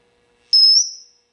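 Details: Marshall JCM 2000 TSL 602 60 W 2x12 combo with presence on 10: a sudden piercing whistle near five kilohertz bursts in, holds, then fades, suspected amplifier oscillation.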